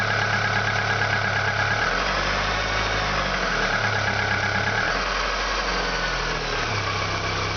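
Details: Audi 80 after engine overhaul, cold: revs rising and falling with an uneven knock under load; same sound when accelerating or pulling away, quiet once warm; knock source not pinned down.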